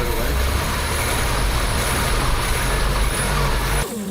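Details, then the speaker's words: 1976 BMW 2002 M10 engine after new Weber-style carburetor and swapped coil, idling about 700 to 800 rpm: steady low even rumble, no misses or surging, much smoother than old carb; normal idle. "Well, it idles an awful lot smoother than the other one. This end here is pretty quiet."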